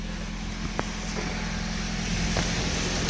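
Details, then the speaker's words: After exhaust flange repair without welding (bolted homemade flange), idling engine is quieter but a light loose metallic tick and rattle rides over the hum: the exhaust heat shield rattling; a stainless hose clamp is planned as the fix. "Oh, oh, guys. Oh, whoa. Something's rattling a little bit. I think it's the heat shield under there, but it sure sounds better."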